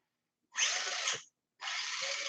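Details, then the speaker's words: Tamiya classic RC car, ESC and motor bench check before wiring in: two short bursts of high, even whirring, no grinding, catching or rattle; motor and gears spin up cleanly and sound smooth, normal. "let's check the esc if it's working see if the motor is working with the ESC here come on baby oh yeah oh yeah sound smooth"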